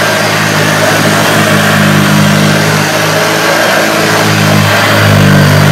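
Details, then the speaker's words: 1976 Hoover Junior upright vacuum after restoration: a deep, steady seventies grumble at even pitch with no roughness while pushed around, where before restoration it sounded really rough. The motor runs healthy. "saying new blonde sounds really nice now he's got that that seventies deep grumble which is up"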